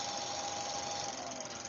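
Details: Motor on an ABB variable frequency drive accelerating in reverse after the keypad reverse button: steady high-pitched whine over hiss, faint tone climbing with speed; normal drive noise.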